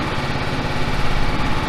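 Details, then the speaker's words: John Deere L110 mower, 606 hours, started with choke: small single-cylinder engine idles with a regular, even thump and no knocks or misses; transmission noises are being investigated separately. "the motor sounds okay can't really see that"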